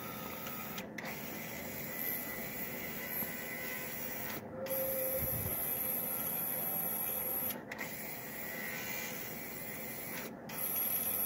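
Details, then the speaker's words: 2000 Ford Expedition power window motor, freed up and refitted: an even whir in both directions, with short pauses at each reversal and no binding, grinding or labouring. The motor now runs smoothly and no longer overheats. "There's up. I'm going to give it a chance to bind up, if it's going to bind up or if it's going to run smooth. Feels pretty smooth."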